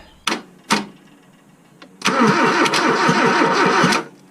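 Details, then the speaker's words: 1986 Toyota Corolla KE70 abandoned for years, pulling fuel: a couple of starter clicks then steady cranking that never catches; crank no start, no spark seen at the plug. "all right i have no spark well none that i can see anyway"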